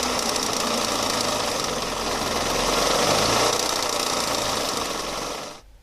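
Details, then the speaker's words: Boosted (turbo) Mazda Miata at start-up: rapid, random metallic clickety-clack from the front of the engine, about four a second, then the engine dies. The crankshaft pulley was loose because its four 6mm hex bolts had backed out; fixed with new bolts and a new alignment pin. "and at first I thought it was the water pump but then um the noise was so random and clickity clackety it was nothing like I'd ever heard before it sounded like something was loose and flying around and the engine died and it occurred to me that it was probably the crankshaft pulley"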